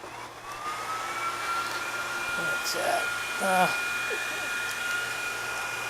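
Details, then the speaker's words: E-bike cargo bike hub motor cooling fans run through a DC booster set to 16 V: steady high-pitched airy whine at even pitch, like a jet engine, with some handling bumps; fans running normally at boosted speed. "plug it in let you hear it sounds pretty good that's like a jet engine"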